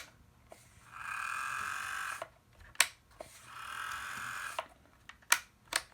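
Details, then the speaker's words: Bachmann Rail Chief BNSF GP40-2 model locomotive, controller up to 40: two rising-and-falling bursts of raspy whine with scattered clicks between them. The drive sounds rough and strained instead of smooth. Cause suspected, not confirmed. "It's just making a very weird noise. I'll show you what I mean. This is a Rail Chief train set, GP40-2 by the BNSF Railroad, and it doesn't sound happy."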